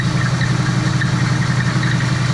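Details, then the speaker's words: Old Oldsmobile V8 first running on its own fuel tank with radiator installed, cold shop warming until thermostat opens, transmission not hooked up; deep even rumble, steady beat, no knocks or misses, healthy idle. "I don't have that hooked up. But man, sounds good."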